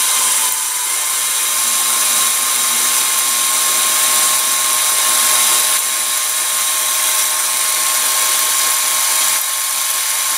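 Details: Banebot gearmotor running on direct battery power after greasing: steady, even high-pitched whir with no clicks, knocks or grinding; normal, smooth gearmotor running.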